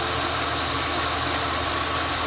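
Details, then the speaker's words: High-kilometre free donated project car at cold-start idle after sitting about three weeks; steady, even, smooth hum with no knocks or misses, owner notes a couple of minor noises but it starts and runs beautifully. "hey cold start nice and quiet yeah look she's got our issues there's a couple of you know noises here and there but starts and runs beautiful so our project car is alive"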